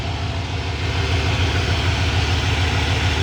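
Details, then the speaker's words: 1992 Ford F-150 V8 farm truck, just bought, coolant a bit low: deep, steady idle with an even, regular pulse and no knocks or misses. Sounds healthy and smooth. Normal idle. "listen to this truck just listen to this engine beautiful beautiful engine"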